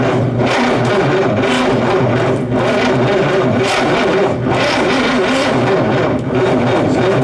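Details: Restored 1960s timber speedboat engine, fully stripped and reconditioned, first running in over 40 years: loud, steady running with rhythmic surges as the throttle is blipped; pulls cleanly and sounds healthy.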